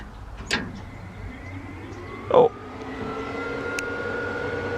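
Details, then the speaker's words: Newly built relay fuse panel powering electric radiator fans on a car with a 406 engine, key turned on: relay click then electric whir climbing in pitch to a steady spin; normal radiator fan operation. "got the key in so when i turn this key the fans should turn on at least that's what i'm hoping"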